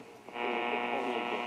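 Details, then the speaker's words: AM radio on a weak station, experimenting with a cheap loop AM antenna and its ground hookup: harsh steady buzz with a dense row of tones after a quiet moment; interference noise on certain frequencies. "you can hear the buzzing the [Music] [Music] of fight it noise"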